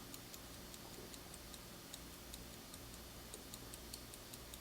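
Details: Circa-1971 Soviet Tochmash Vesna mechanical mantle clock that had not run: light, fairly quick, uneven ticks with very poor amplitude; the movement runs but sounds hesitant, possibly dirt or lack of oil in the train, not confirmed.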